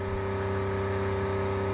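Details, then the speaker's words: Newly installed 12V 65 L/h sailboat watermaker, high-pressure valve being adjusted to raise pressure toward 50 bar, flow above 60 L/h: smooth, constant mid-pitched electric pump hum, no rattles or surging; running normally. "Donc là, ça augmente. Bon, voilà, je peux monter à 50 barres. Donc là, on est en E1, donc le débit est supérieur au 60 L."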